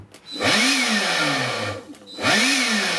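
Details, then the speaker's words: Yellow Dyson-style electric screwdriver/fan tool after a repair attempt: high whine spins up, holds about a second and a half, then dies, repeating twice; motor cutting out under load, owner suspects overloading from the fan's torque. "Not that it's much use if it only lasts half a second. I can't believe that. Well, yeah, I can. Maybe it's overloading because it doesn't like the torque of the fan."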